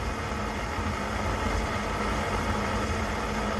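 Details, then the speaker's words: Coleman 530 G.I. A46 pocket stove after teardown, cleaning and reassembly, pumped up and lit, warming up: steady, even rushing roar with no sputter or surging; burner running at full flame as it should. "so now it's supposed to blow flame like that for a little bit here as it warms up it's supposed to turn into just a blue flame and uh burn really hard"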